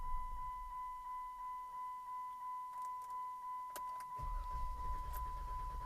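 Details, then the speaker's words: 2014 Jeep JK being run out of fuel for a Magnuson supercharger install, topped with 91 octane, cool night; starter cranks steadily about three compressions a second under a chime, ignition keeps cranking without being held, engine never fires: fuel-starved no-start. "Oh, that's weird. It's like the ignition wants to keep cranking. I'm going to crank it over."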